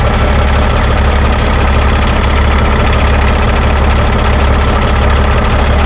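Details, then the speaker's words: Paccar X15 diesel truck idling after a fuel filter change. It started first try and is left about ten minutes without throttle to purge air and check for leaks. Loud, steady, even low rumble, no misses or rattles: normal idle. "I like to just let it idle I don't go giving it throttle and in doing all that and just let her run for good ten minutes or whatever"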